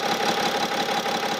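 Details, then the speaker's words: 2009 BMW X6 E71 3.0 diesel, about 259,000 km, after the vacuum-controlled EGR valve was disconnected: steady even idle with a faint high tone but no chirping; noise gone, confirming the faulty EGR solenoid valve. "돌아왔죠. 소리 안 나고. 그래서 EGR 밸브 솔레노이드 밸브가 잘못된 겁니다, 얘는."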